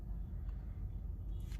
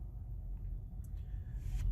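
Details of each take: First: 2017 Honda Accord EX during an Autel AP200 injector-stop cylinder drop test, with a cylinder restored and RPM back up: quiet, even low rumble with no dips. All cylinders firing, normal idle. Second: 2017 Honda Accord EX at idle during a cylinder drop test using the Autel AP200 injector stop function. With cylinder 4 cut, the idle rumble becomes uneven and rpm drops, showing that cylinder is working and is not the misfiring one.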